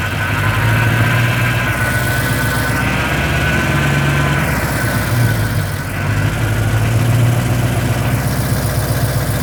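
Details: 1980 Rover 3500 SD1, Buick-designed aluminum V8 just fully rebuilt, first run up to about 2000 rpm: deep even rumble at steady speed, no knocks or misses, much louder than before; normal running.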